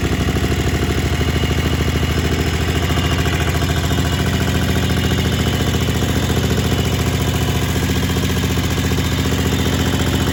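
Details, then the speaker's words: Kohler Command 20 hp on a Craftsman GT mower, after reassembly following runaway wide-open engine speed (plastic governor suspected, nothing found): steady even putter at settled idle, no knocks or surging; idle and throttle control normal. "I got idle control uh throttle is working like it's supposed to looks like it's smoking a little bit because I had the sump cover off and oil everywhere so I was going to go through that phase but as far as the idle speed it's running fine"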